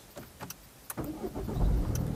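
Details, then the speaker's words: Peugeot 207 1.6 HDI diesel after replacing and cloning the faulty EDC16C34 engine ECU: a few light clicks, a brief crank, then it catches within a second and settles into a steady idle; the failed ECU was the cause, and the car now starts normally. "Voilà, super, la voiture démarre. Donc c'était vraiment le calculateur moteur qui était HS."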